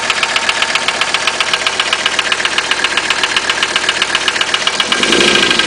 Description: My 1985 300TD with what sounds like a piston slap, but I do not think this is the problem.